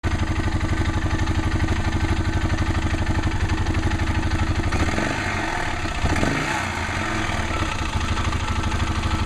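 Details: Arctic Cat 650 H1 ATV engine idling with clutch parts and belt removed: steady, quick rattling knock over the cylinder thump, seemingly much louder with clutch and cover reinstalled.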